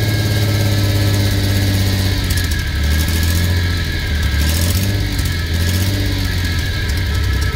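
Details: F6A engine running and revving with a rough, uneven low exhaust drone that swells with revs; abnormal exhaust noise, source not yet found, owner setting out to locate and fix it.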